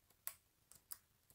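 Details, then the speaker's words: Corsair K95 RGB Platinum keyboard, new unit: light, sharp plastic clicks, about five in 1.5 seconds, unevenly spaced; the mute button knocks against the plastic housing, alongside a clicking volume wheel, and the unit is judged a defective build. "I have also noticed that the mute button also clicks on the plastic"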